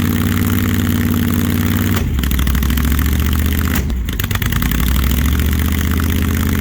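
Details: Supercharged big-block V8 in a 1968 Plymouth Barracuda at first start, timing being set; the V8 lopes unevenly at idle, stumbling and dipping twice before recovering.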